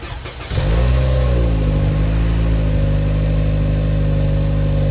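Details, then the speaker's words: Toyota Camry 2.5 L four-cylinder, cold start: short crank, quick rev flare, settles straight into smooth steady cold idle; slight consistent rolling rattle under hood. Normal cold start. "as you can see that was also quite uneventful"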